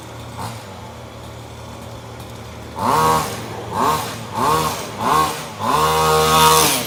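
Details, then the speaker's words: Maverick MT nitro RC truck after a broken clutch spring was replaced and the clutch reinstalled: small nitro engine idles, then four quick crisp high revs and a longer clean pull on test drive; fixed and running normally. "ah there we go beautiful fixed it bad boy back on the road again"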